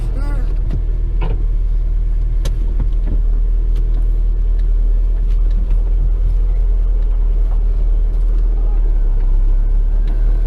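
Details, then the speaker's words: Chevrolet Corsa sedan test-driven over rough pavement with loose front bumper: irregular sharp knocks and rattles over heavy road rumble, loudest from the doors and dashboard panel, echoing inside the cabin, not only the suspension. "tiếng ồn lớn nhất nó thực sự vang vọng bên trong đây là cửa bảng điều khiển của chiếc xe"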